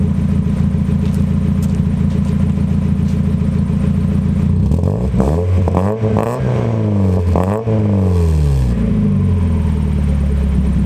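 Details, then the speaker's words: Newly welded solid exhaust of roughly 2-inch piping all the way to the header, on a cold day: steady deep burble at idle and clean quick revs, no leak; owner plans bigger piping later. "so it's gonna get changed out for 100% certain bigger piping to because it's like 2-inch if that yeah it's in there it sounds pretty good"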